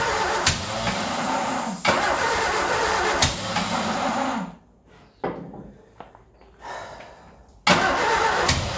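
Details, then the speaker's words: Ford Escort revived after 14 years neglected fires on starting spray and runs ragged a few seconds, sags, stumbles out, then refires; fuel starvation, runs only on spray. Definitely not happy, running bad. "But she is definitely not happy. My God, that is running bad."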